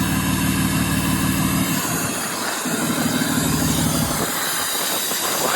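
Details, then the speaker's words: BMW F11 535d M Sport Touring diesel, off the road for 3 years, first start: steady airy hiss over a low, even idle that doesn't follow the engine beat. Source unknown; owner fears the turbos may have failed. Hissing at idle. "is it hissing? What? Is that normal? Hissing."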